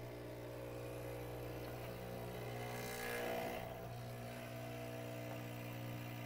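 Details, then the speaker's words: Profitec Pro 600 Quick Steam Plus dual-boiler espresso machine, initial fill: a steady low buzz with a strained edge from the vibration pump, likely caused by air trapped in the pump. "I think I just got a little air in there. Okay. It's not uncommon with a any vibratory machine, vibratory pump machine, uh during shipping, uh if you've just drained it or something like that, you can get a little bit of air bubble inside the pump."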